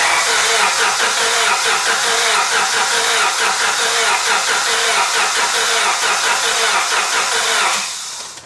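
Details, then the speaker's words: 1998 Honda Civic 1.6L after engine replacement, distributor unplugged to prime oil: steady even starter cranking about 2.5 turns per second for eight seconds with no firing; normal cranking without start. "crank it over for a little bit to get the oil circulating through it, and then we're just going to fire it up."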